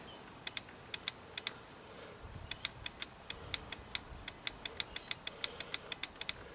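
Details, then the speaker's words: Free Toro ride-on mower, key turned: light paired relay clicks repeat, starter never spins; owner unsure which relay clicks, doubts it is the solenoid, checking solenoid voltages. "okay so you remember before we had a clicking noise when i turned the um the key just listen all right you can hear it click"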